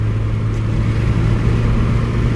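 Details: 2007 Toyota petrol with misfire, no power, overfuelling and a petrol smell, no trouble code. Smooth, steady low engine note with no stumble; it runs cleanly. The fault is confirmed as the oxygen sensor.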